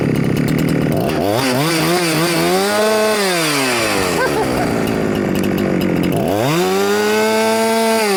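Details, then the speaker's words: Huyosen 6524 Husqvarna 365 clone chainsaw free revving after idle adjustment, with no rev limiting; tach showed above 13,000 rpm and the top cover pops off at high rpm. It screams up cleanly three times and falls back to idle; healthy. "well it doesn't seem to be Rev limitated at all it also seems to be the uh um air injection seems to be working really well because every time it gets to higher RPMs this top cover pops off"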